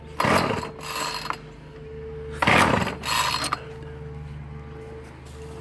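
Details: Ryobi 705R 30cc two-stroke petrol strimmer after fuel hose replacement, being pull-started: two ratcheting pull-cord bursts, the engine only coughs and never catches; no start, suspected flooded (it later started).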